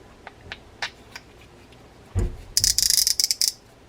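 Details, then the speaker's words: Mitchell 324 freshwater reel during service: quick run of sharp, high-pitched ratchet clicks as the spool turns, made by the clicker spring tag end hitting ridges on the spool back; clicker working normally. "That noise, by the way, is made by this spring. So this is the clicker spring that goes around the post, has that little tag end hanging out there."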